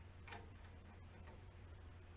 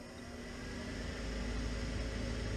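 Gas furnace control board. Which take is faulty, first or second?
first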